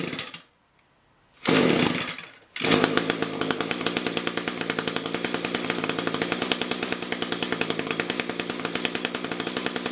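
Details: Echo two-stroke engine after carburetor rebuild/replacement, low and high mixture screws tuned roughly equal, run in winter: fires after a pause and settles into a steady, even buzz with regular firing pulses; healthy, running cleanly.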